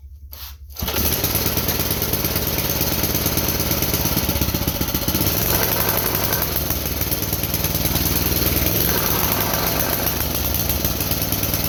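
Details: JCPenney front-tine garden tiller, 5 hp Briggs & Stratton, after fixing a bad carburetor diaphragm that made it run rich: starts after a couple of pulls, steady single-cylinder chug, pitch drifting as mixture screw is trimmed; running properly.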